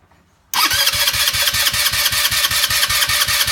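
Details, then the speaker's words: Brand-new TMS GY6 150cc engine in a go-kart, lacking power and smoking: even rapid cranking chug without firing during compression test, only about 95–100 psi; rings suspected defective, installed wrong or cracked. "so as you can see you only have about 95 to 100 pounds of pressure on the brand new onesie the Rings are obviously defective or install wrong or one was cracked"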